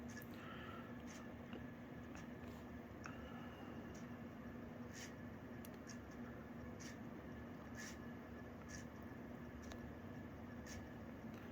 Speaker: pretty smooth running on high speed doing somewhere around 190 200 rpm moves a decent sum of air you can hear them bearings this around a little bit they are definitely it needed some more grease